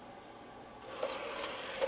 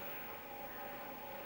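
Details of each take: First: Apple Atmark Pippin console, nearly 30 years old, CD-ROM drive loading an audio CD: brief rising whir with a couple of clicks as the disc spins up, then quiet; disc detected and plays, normal spin-up. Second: Apple Atmark Pippin console, nearly 30 years old, first power-on after shipping from Japan: steady loud whoosh with a thin constant whine; noisy cooling fan.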